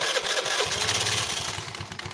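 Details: Honda Vario carbureted scooter after recent engine rebuild with oil leaks: tinny clatter and rattle over the engine from a loose, worn CVT roller housing.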